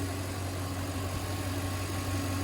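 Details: 2000 Toyota Land Cruiser 100 Series after installing OEM serpentine belt 90916-02586 to cure belt squeal: smooth steady low idle hum with no squeal or chirp; belt drive quiet; normal idle.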